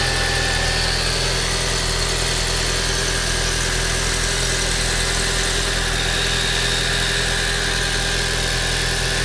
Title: 1.8 T Strange Engine Sound